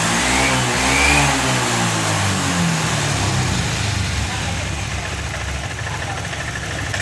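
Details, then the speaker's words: Honda Vario 125 FI after fixing the clogged, dirty injector, fuel pump pressure steady at 40: engine picks up cleanly on each throttle blip, pitch rising and falling smoothly without stumbling; revs freely, bogging cured. "Oke teman-teman, alhamdulillahirobbilalamin, motor ini sudah sembuh dari berbetnya, maksudnya dari ngemposnya."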